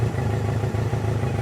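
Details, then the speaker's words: BMW K100 four-cylinder motorcycle after fuel tank overhaul, restarted with choke off after sitting 15 minutes: steady, even low pulsing with no misses, idling nicer; owner notes engine sounds somewhat rattly, possibly low oil, and long storage. Normal idle. "Well, it's idling a bit nicer now. So perhaps it's just the fact it's been sat there for a while."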